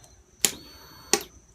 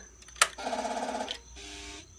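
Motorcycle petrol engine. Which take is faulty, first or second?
first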